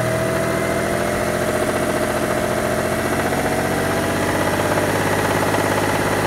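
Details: Mitsubishi Diamante 6G73 GDI, engine warmed up and revved in place: a loud steady run with a fast rough tapping knock under it and a faint pitch-drifting tone. Cause unclear; owner wonders whether it needs a rebuild.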